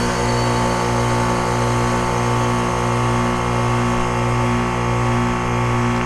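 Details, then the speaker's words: 2001 Trane XE1000 5-ton heat pump, heavily frozen, thermostat set high: reversing valve switches, then a steady low hum with an even hiss and no knocks or grinding as it enters defrost and steams; normal defrost cycle. "that sounded like the reversing valve switching that sounded more like the noise that makes when it's about to go to defrost"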